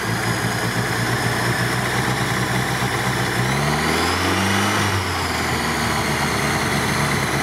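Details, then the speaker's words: LuAZ just repaired (parts had been loose), choke partly on, letting it warm; steady, even petrol idle with one quick throttle blip settling straight back, running clean enough to drive. "Блин, починил машинку, ура! Что, подсос убрал? Не, давай пусть нагреется чуть-чуть. Не, ну хоть уже работает, можно двигаться."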